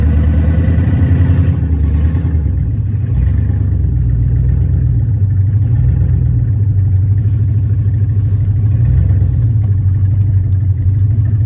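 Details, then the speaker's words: 1994 Chevy C3500 dually with a swapped LQ4 V8 on open pipes with no exhaust yet, driving under light throttle. An uneven, stumbling rumble with lumpy pulses, running rough like a misfire; the owner suspects an injector wiring issue. "Still running really crappy. It seems like I've got a wiring issue with the injectors."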